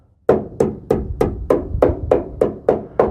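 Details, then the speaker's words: 1989 Chevy K1500 4x4 truck, ex-farm truck: tapping along cab corner gives dull, woody taps without the metallic ring of solid steel, indicating rust-weakened metal needing cab corner and rocker replacement. "tapping along here to try and you can hear the difference like if I'm like the met the rusty metal doesn't quite have the S same sound as good solid"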